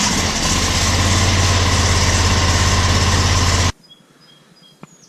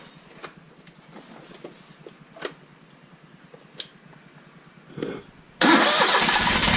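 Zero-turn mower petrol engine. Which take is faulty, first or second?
second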